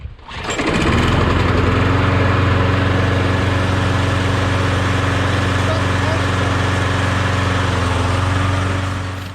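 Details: Mower's Briggs & Stratton Quantum engine starts straight up and settles into a smooth, steady, even drone with no knocks or stumbles: normal running, healthy engine.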